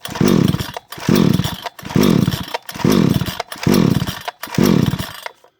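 Six rasping recoil pulls, about one a second, each whirring up and dying away without the engine ever catching: cranks, won't fire.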